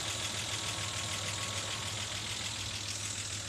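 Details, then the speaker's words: 1987 Ford Ranger 2.9 L V6 at idle with oil pressure well under 40 psi instead of the usual 50: low hum with a light, fairly regular tick about two per second; lifters or pushrods suspected, not confirmed. "I'm getting this terrible tick sitting at well under 40 psi. Normally runs at like 50."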